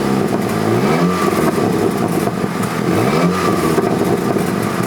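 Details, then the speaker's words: Mk5 VW Golf GTI 2.0 TFSI petrol, 199,000 miles: two revs rise and fall with a rasping puff under the engine note; blowing exhaust leak at the flexi pipe, temporarily patched with exhaust paste, now leaking again. "But obviously that only stays on and it had a minor leak which was an advisory um on the but if you listen now [Music] it's very you can hear it's back blowing again."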